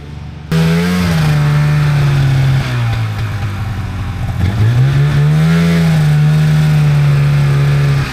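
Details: 1997 Polaris Indy Trail Touring two-stroke snowmobile, resurrected with carbs cleaned and oil pump bled, stock clutching, test ridden on a lawn without snow: crisp drone rising and falling smoothly with throttle, no misfire, stumble or rattle; healthy running under load.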